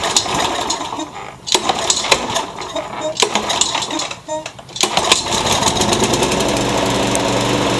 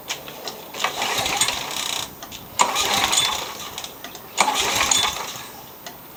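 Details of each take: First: Curb-found mower, blade-brake kill switch zip-tied, started on carb cleaner; after handling clatter it catches and settles into a steady even drone, no misses, rear-wheel drive works; normal running. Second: 1999 Toro Super Recycler mower, 6 hp Briggs & Stratton, that wouldn't start this season and has low-feeling compression: it catches in short rough bursts about every two seconds, then dies each time. Owner suspects a carburetor issue.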